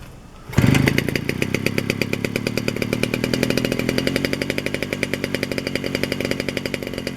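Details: 1947 Danarm Junior Mk1 chainsaw, first extended run after full restoration (new bearings, coil, condenser, timing set), fed a drop of fuel with no tank fitted, catches after a pop into an even crisp two-stroke buzz; it runs and the clutch operates.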